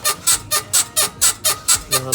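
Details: BMW E53 X5, parked, body rocked by hand on a 34 °C day: sharp dry squeaks about four a second, one per push, traced by feel to a worn right rear upper control arm (swing arm) bushing, to be replaced.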